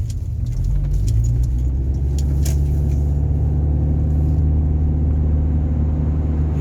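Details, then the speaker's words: Rover 45 with K-series engine and CVT gearbox, first proper drive: low constant engine drone holding one pitch while moving, smooth and even; normal CVT sound. "that engine that's only a sound you will hear on a CVT MG Rover product"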